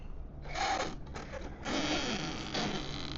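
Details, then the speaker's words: Traction Hobby King Motor WRC Citroen C3 1/7-scale electric RC rally car, in two-wheel drive: motor whine in rough bursts with a scuffing, catching rasp while reversing as it squats and the tires hit the body. "What in the world is catching when it backs up? It's the body. Yeah, the tires are hitting the body."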